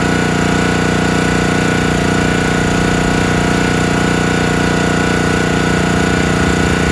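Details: Countyline 25-ton log splitter small engine, carb pulled and cleaned, jets cleared, tank cleaned: loud, steady, fast, slightly uneven chug. It bogs and stalls under load; the owner suspects the carburetor, fuel not flowing, or mixed-up gaskets.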